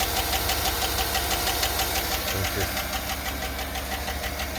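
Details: 2008 GM 5.3 V8, started fully cold with oil pressure at 40; quick, even light ticking about three per second over a smooth idle from one bank, traced to a collapsed lifter on teardown.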